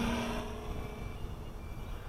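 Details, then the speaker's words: KK-board quadcopter on normal (non-Nanotech) battery packs: a steady high alarm tone sounds over the rotor buzz as the motors load up under hard throttle, the low-voltage alarm from a sagging pack. "that's my voltage alarm going off. Yeah, I'm only using the normal packs, not the Nanotech, so yeah, if I fly around normally, it's not too bad. If I give it a bit, you'll hear the voltage alarm go straight off."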